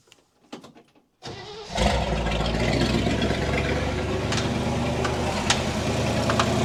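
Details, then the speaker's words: 1960 Chevy Brookwood wagon, sat 20+ years, rebuilt carb and new points: catches to rough idle with steady light knock about four per second from inside engine; owner suspects rod knock, unconfirmed; later found number 7 exhaust pushrod pushing oil. "I don't really want to keep running this thing in case it is truly a rod knock but I think it is a rod knock and that's no bueno"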